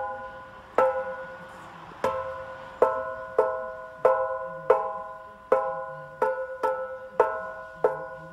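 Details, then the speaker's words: Mercedes W204 C63 AMG with new full exhaust (long-tube headers, sport cats, new mid and rear silencers): about eleven taps on the mid silencer each ringing like a bell and slowly dying away; shell resonance also heard while driving. "he was kind of flicking it and you can really hear that it was ringing like a bell basically that it was vibrating and making sounds and you could hear that while driving as well"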